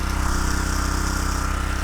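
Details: Homemade mini tractor with a 6.5 hp Harbor Freight Lifan single-cylinder engine, off choke after starting: quick, even putter with no stumbles or misses. Healthy, normal running despite a prior claim it didn't run.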